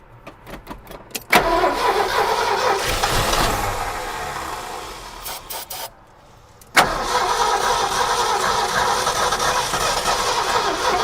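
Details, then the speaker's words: 1969 Ford F100 V8 truck abandoned for over 30 years cranks in repeated long bursts but never catches; no fuel getting through, owner suspects a bad fuel pump or a stuck carburettor float, and weak spark from the distributor points. "I don't hear it pumping nothing yet. Still no fuel. Fuel pump may not be any good, or it could be just the float stuck on it, or Yeah."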